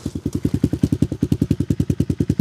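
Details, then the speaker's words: Tao Tao Coleman 125 ATV warming up after a chokeless cold start, on a new 28mm exhaust pipe and silencer, with the idle raised earlier. Even, deep exhaust pulses about ten per second with a throaty tone, a steady rhythm and no misses; a healthy idle. "It's got a little throat to it. Once it warms up. Yeah, it sounds pretty good."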